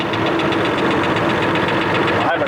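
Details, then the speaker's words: Diesel engine at idle. A light, regular knock ticks over the clatter. The owner suspects tappet clearance or a bent push rod, possibly from water in the engine; tappets are not yet checked and the cause is unconfirmed. "Got a bit of a knock in here. I'll probably hear it better through the camera than you can in the cab here."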